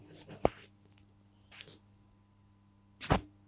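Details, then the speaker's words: Weller TCP soldering iron power supply on 230 V mains, switched on. A faint steady 50 Hz hum from the transformer under handling clicks shows it is energized, so the input fuse is okay. "I can hear that there is a 50 Hertz hum coming from my transformer. This means that the input fuse here is okay."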